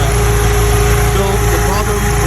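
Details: VW Mk1 Golf/Cabriolet with G60 2.0 16v project, prepped for first drive: steady low engine hum with even, unbroken rhythm and no knocks or misses; runs cleanly, though an exhaust rattle is noted elsewhere.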